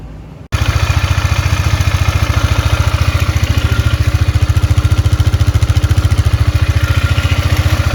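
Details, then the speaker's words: 2002 Polaris Magnum 500 ATV after top-end rebuild with a used cylinder and piston, previously smoking and knocking: even, steady thump of about 214 beats a minute with no knocks or clatter; engine running smoothly and quietly. "well put a used uh cylinder on there use piston overall engine sounds really nice and quiet i think we'll call this one good crap"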